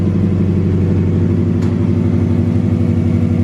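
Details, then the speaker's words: Subaru warming up to idle during work to cure a heavy misfire and backfire, with no air filter fitted: a steady, even low rumble with slight hunting and no skips, now running cleanly. "But we're gonna let it warm up and then see if it idles fine. It's got no air filter on it, so it might fluctuate a little bit, but it's getting there."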